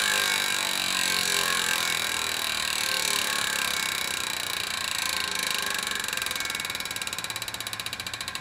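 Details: Chris King ISO disc stainless rear hub, 150x12mm, with 9-speed Shimano XTR M970 cassette, freshly broken in after about 5 hours or 50 miles, freewheeling and back-pedaling: loud high angry-bee buzz easing into slower clicks as the wheel slows; healthy freehub.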